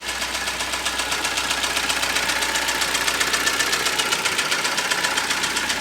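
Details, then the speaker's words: Kia Sportage 3: sharp metallic knocking about four per second over idle from more than one piston, at least two cylinders badly scored; boring judged insufficient, sleeving expected; piston slap from scored cylinders. "Как вы все можете слышать канадешечку Ой как хорошо перебирает там причем не один поршень Судя по звуку там парочка то точно есть которые сильно прямо задраны"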